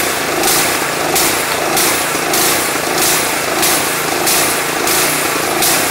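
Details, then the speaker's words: Craftsman 179cc 22-inch snowblower with a Powermore engine, run after fresh gas and Seafoam replaced suspected bad gas: off choke, engine speed rises and falls about 1.5 times a second. It later improves to a fairly smooth idle. "One of the the chances are if we take it off choking, it's going to stay running? Or surge? Let's say very likely. Surprise."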